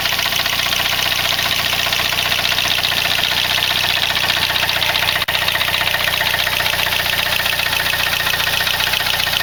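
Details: Saab 9-3 with B205E engine at idle (2015): a busy, rattly, high-pitched chatter rides over the engine. Abnormal noise, cause not pinned down.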